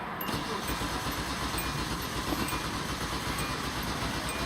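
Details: 2001 Hyundai Santa Fe crank-no-start with lean codes on both banks: starter churns steadily for several seconds but engine never catches; traced to a bad ECU relay.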